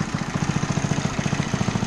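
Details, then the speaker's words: Honda CT70H Trail, sat 40 years in a barn, after new coil, carb overhaul and throttle cable fix, started with a drill; even putter at roughly ten beats a second, no misses, running much better; normal idle. "so it runs quite a bit better"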